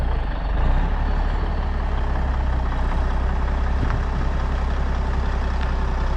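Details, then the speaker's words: 1994 International 9600 cabover, N14 Cummins diesel, 561,000 miles: after fixing the air line fitting and unplugging the low-coolant shutdown sensor, deep, steady, even idle rumble while building air pressure for suspension and brakes; healthy. "so now it fires up and runs so we'll see if we can build enough pressure to pump up the suspension and uh release these brakes"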